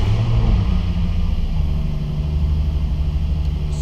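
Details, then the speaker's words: Nissan 350Z first start after swapping in a CD009 gearbox with lightweight flywheel and clutch upgrade: even low idle rumble, no rattles, knocks or grinding; clutch heard disengaging when pressed, nothing weird, sounds healthy. "so far so good nothing sounds weird I can feel and hear the clutch disengaging when I'm pressing it so that's good"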